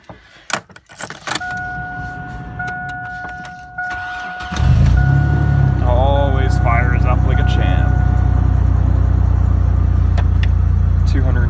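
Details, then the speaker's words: 2004 Chevy Blazer cold start at about -28 wind chill, low on gas; a few rattles, short crank, catches at once and settles to a steady even fast idle: normal cold start. "So apparently it's negative 28 with the wind chill today. So we're gonna fire up my 04 Blazer."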